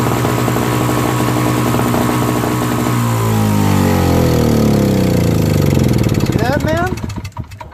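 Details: Old Craftsman 5 hp single-stage snowblower, Tecumseh engine, after carburetor cleaning and replacement of a leaking, fuel-filled float: steady, even buzz for several seconds, then winds down and stops; healthy run with no stumbling.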